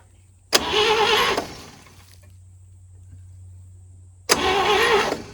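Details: 1940s GMC 6x6 two-engine military truck, sitting 40 years, spark checker test: two bursts of steady cranking about a second each, engine turning over but not catching; no spark because ignition not hooked up.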